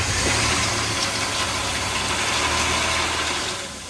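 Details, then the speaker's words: 1997 Ford Explorer 4.0L SOHC V6 started right after an oil change: brief knock/tap while oil reaches the engine, then it settles into a steady, even, smooth idle. Normal start-up. "At first, you'll hear the engine knock a little bit while there's no oil in the pistons, and then as it takes up the oil, it'll start to run smooth, just like it's doing now."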